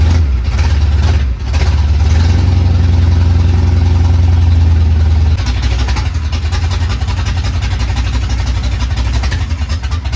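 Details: Carbureted Capri project, first start: fast, uneven, lumpy idle that sags and stumbles; runs rough, later traced to a 3.5 PSI fuel pump when the carburetor wants about 6 PSI.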